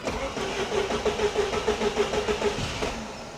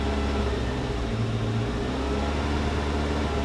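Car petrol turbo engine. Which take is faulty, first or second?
second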